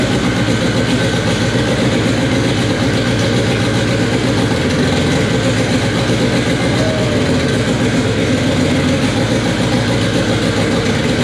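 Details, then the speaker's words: K24 engine in an all-wheel-drive Integra, first start on a FuelTech FT600 ECU after two days of settings: loud, steady idle holding speed without stumbling; normal idle, runs fine but still needs fuel tuning. "all right guys well there you have it it officially runs on fuel tech after what seemed to be like two days of just settings and doing weird things to get it to run but uh yeah that was awesome sounds good"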